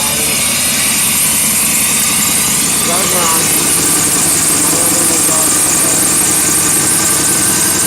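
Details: 1991 Chevy Blazer 350 TBI, ex-rollover, unstarted for a couple months, manifold ice-cold: steady even cold-start idle, no knock or miss, constant fan and air rush on top; normal.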